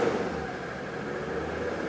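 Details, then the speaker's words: Mercedes W123 300D, OM617 diesel reported dead, running after two hours of work; held at raised rpm with a steady even hum, smoothing out well; good oil pressure. "yeah but it runs and once I bring it up to speed it Smooths out pretty well"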